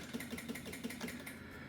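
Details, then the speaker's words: 2025 Can-Am Outlander 700 (Rotax engine) that lost all power while riding: pressing start gives quick, even clicks, about six per second, with lights flashing and no cranking; battery at 10.9 V, too low to turn the engine. "I don't know if you ever seen this before, but uh lights are going flashing. Click, click, click."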